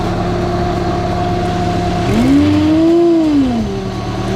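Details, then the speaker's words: Lifted Honda Civic wagon with M62 supercharger, just started after completing the cold-side intercooler piping loop; even idle, then a clean rev whose blower whine climbs and falls with engine speed, building boost with no knocks: normal supercharged engine revving. "well she's making some kind of boost pop it off immediately that's a good"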